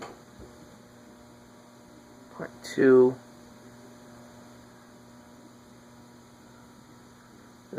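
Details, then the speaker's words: Hunter Hotel Original ceiling fan, model 52-H/23702, running on low through a solid-state speed control: steady, constant-pitch electrical buzz from the motor. Motor hum on solid-state speed control. "not responding well to solid state control"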